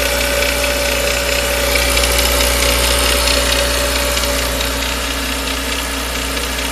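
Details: Renault Megane 2 1.6 16V under acceleration: fast regular metallic ticking of about four per second over the engine noise, located on the left side near the oil dipstick and timing compartment, like a loose nut. Cause unknown.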